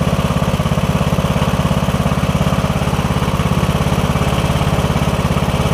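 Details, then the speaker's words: Briggs & Stratton OHV single riding mower that was hard to turn over, after replacing the camshaft with faulty compression release, started with starting fluid: steady, even thump about 207 a minute, no misses or knocks; normal idle. "I just gave it a shot of starting fluid and it started to do its thing here for a minute or two all right that sounds good we're going for about a minute now"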